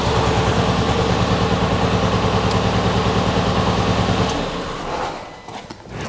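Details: Ford Fiesta Mk7 1.25 Zetec salvage car after leads refitted: uneven, lumpy idle stumbling about three times a second, never smoothing, then shut off; misfire persists, owner wonders if the ECU cuts two cylinders, unconfirmed.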